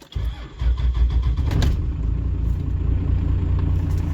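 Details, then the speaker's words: 2nd-gen Cummins diesel truck, cold start after bleeding fuel: cranks briefly, fires right up, settles into an even deep clatter idling a little low until warm, good oil pressure; healthy start. "she fires right up now she does idle a little low just for now good oil pressure once it warms up RPMs come up"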